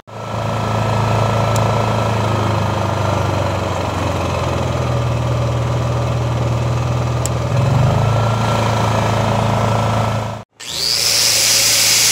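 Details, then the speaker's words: Honda EM5000IS generator after cleaning clogged main jet and rebuilding carburetor: starts first pull, steady even hum for ten seconds with no misses or surging, then brief cutoff; runs smoothly. "[Music] so you saw that generator fired up first pull runs great nice and smooth"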